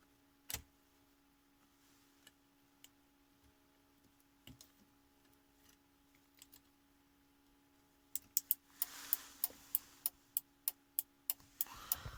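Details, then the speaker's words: Audi A6 C5 hazard flasher ticking after repair of the hazard/turn-signal button, tested with ignition on: a few stray clicks, then crisp, evenly spaced relay ticks in a quiet cabin. Hazards and both turn signals work normally. "И аварийка тоже работает. Все."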